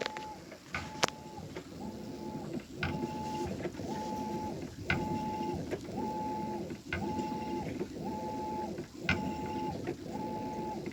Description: My brand new Maytag (MVWB835DW) is making a popping noise/squealing during the wash cycle.